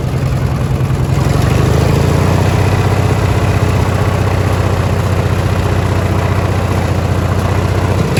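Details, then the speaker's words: Li'l Red twin-cylinder tractor on a top-speed run at high throttle after new spark plugs: steady, even drone with no misses or stumbles; runs great, and there is no longer a gasoline smell at the exhaust. "so i made a quick little discovery when i was doing a top speed run after getting the spark plugs put in the engine it's running great now"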